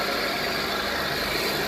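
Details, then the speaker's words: 2014 Nissan Altima idling just after serpentine belt replacement: steady, even idle with a smooth belt hiss and no chirp, slap or squeal; new belt tracking properly on its pulleys. "Go ahead, babe, start it up. Alright, let's see how that belt is working pretty good."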